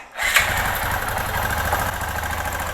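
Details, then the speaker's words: 2005 Kawasaki Bayou 250 after cheap top-end job, corroded wrongly jetted Chinese carburettor, air and fuel screws backed out: single cylinder lumpy uneven idle with soft irregular beat, likely rich; improves as it warms. "yeah she's just she just does not want to run with that carburetor it's just it's a piece of junk we need to dial that in better like I said"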